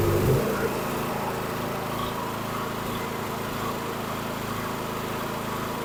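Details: Karcher KXS 302cc single-cylinder engine from a log splitter, which ran last year but would not start this year, now bolted down and run on premium fuel: it catches after a brief crank and runs steadily with no misses or knocks; normal running.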